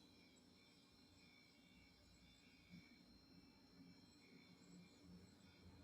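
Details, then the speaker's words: Refrigerator making a weird loud humming noise it never made before, heard at 1:32 a.m.; faint steady high-pitched whine with several constant tones, owner first thought crickets or pests outside; cause undetermined. "so the refrigerator has this weird loud um humming noise"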